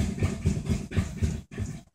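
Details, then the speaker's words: 2000 Audi B5 S4 after timing belt and valve cover gasket replacement, no codes: uneven cranking at about four beats a second stumbles, briefly sputters and dies; no compression on passenger-side bank from a bent valve, fixed by replacing that head. "and dies so that was a little sputter and die right there"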